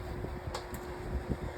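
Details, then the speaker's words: Lasko 1823 18-inch pedestal fan on low speed without oscillation: a steady whirring hum with a faint cricket-like chirpy edge over soft airflow. The fan spins slowly even on high; the cause of the motor whir is not confirmed. "low speed without oscillation. I didn't even realize it was up. And there's that annoying whirring noise. You guys can hear it. Sounds like crickets chirping."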